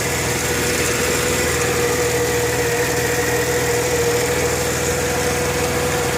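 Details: 1998 Mercedes ML320 at idle, just after an oil change: a thin constant whine with a light, irregular tick a few times per second. Owner suspects a tensioner or an internal engine fault.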